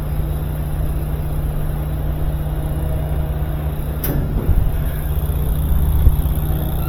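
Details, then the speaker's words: Older GE washing machine after replacing the failed drive motor and fitting the drive belt: steady low motor hum, drum churning evenly, no grinding or labouring, wheel turning, pump on; it would not do this before, so the motor was the fault. "see the wheel wheel turning pump is on yeah see it wouldn't even do that the other day all right yep it was the motor"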